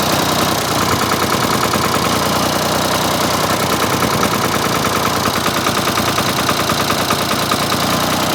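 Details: Ford 4000 three-cylinder diesel tractor after replacing the misfiring front injector: even, steady diesel idle clatter with no missing beat; all three cylinders now firing.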